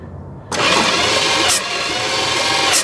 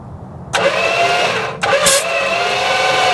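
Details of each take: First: 1973 Dodge camper truck, sitting 25 years, thumb over a plug hole while cranking: sharp puff spitting back through the intake on one cylinder; intake popping while cranking, expected to free up once run. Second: 1973 Dodge camper truck, 400 or possibly 440 engine, sitting 25 years, PB Blaster sprayed in intake, thumb over spark plug holes while jump-cranking: strong, even cranking with firm whoosh each compression stroke; healthy cranking compression.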